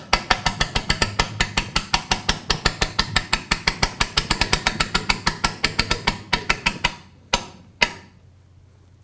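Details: Lancaster Archery Supply Pro Shop draw board, cranking a bow in with the safety lock on: crisp, even ratchet clicks about six per second, then a few slow single clicks; the lock is catching normally.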